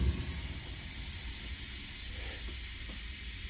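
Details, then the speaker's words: Truck during pre-trip air brake test, engine off, key on, in gear: steady air hiss when both brakes are pushed in, settling and holding with under three psi drop on the gauges; normal application, no leak. "once the hissing sound settles which there it goes then i'm gonna look at my gauges and say i should not lose more than three psi once they have settled which i did not"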